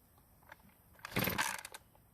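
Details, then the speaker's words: Poulan Pro trimmer after fuel line replacement, primed: brief ragged buzz, dies when trigger squeezed; lean stall, fix by richening idle mixture screw (nearer engine) a quarter turn counterclockwise. "since it died when I squeeze the trigger we'll need to use a special spline screwdriver to add more fuel to the engine when at idle"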